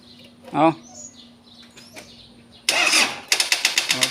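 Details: Car with a flat battery on a power-bank jump starter: after a clap, the starter churns in a short burst of quick, weak pulses and never catches. The jump starter failed and its cables got hot.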